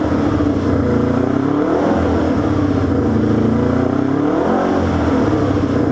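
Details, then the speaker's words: Honda CB350 twin, first start-up after a two-year rebuild, new chain and ignition timing set, engine still breaking in; revs with an uneven, slightly stumbling note opening the throttle, choking when opened. Hesitation, owner suspects lean mixture. "you can just feel the throttle response I mean it's obvious lean cuz when you give it a handful it chokes a bit"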